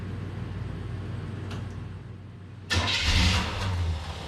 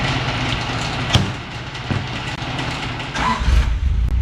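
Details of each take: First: Quiet cranking, then the engine catches with a loud uneven burst and sags away; start-and-die caused by stripped teeth on a little ignition switch gear, so it died as soon as the key was let off. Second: Deep steady burble through a loud free-flowing glass pack and cherry bomb exhaust, no ticking or puffing up front after the front exhaust was fixed with new hand-made exhaust gaskets; exhaust sealed, normal note.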